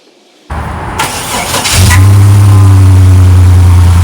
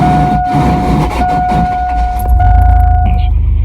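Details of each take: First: 2000 Chevy Blazer ZR2, just after a new starter was installed, below-freezing day: short crank, then the engine fires right away and settles into a strong, even idle; normal start. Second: 2000 Chevy Blazer ZR2 starting on a cold day: high, harsh starter whine grinding through the crank before it fires, worsening over the day. Owner assumes the starter solenoid isn't fully engaging the flywheel; wrong bolts with stacked washers were noted. Starter was replaced.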